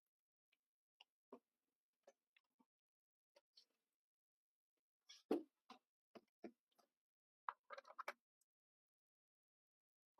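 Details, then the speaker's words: Compaq Armada 1130T laptop at power-on; screen shows zeros and a line. Scattered sharp clicks, several in quick bursts, as the hard drive heads knock repeatedly. Failing hard drive clicking. "it does things it does clicky things oh that's uh I don't like all those zeros it's clicking it's got zeros it's doing horrible things"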